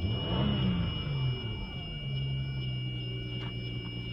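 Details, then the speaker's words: 2003 Audi Allroad 2.7T, cold start in early morning: thin, steady high whine under the idle that doesn't change with rpm, lasting about two minutes then stopping, fine rest of day; source not yet identified. "all right listen to this crazy sound the hell is that sound give it a second you know how it doesn't change with uh rpm"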